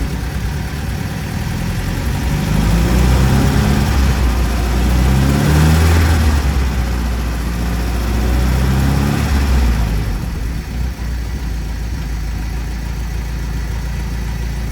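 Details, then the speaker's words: Monaquatre YN4 just after a gearbox and axle oil change (about 0.6 L gearbox, 1.5 L axle), run in gears including third at about 25; low, even rumble swelling and easing with revs, no whine, grind or clunk; normal gearbox and differential operation. "Bon bah écoutez, pas de bruit, il y a tout qui tourne."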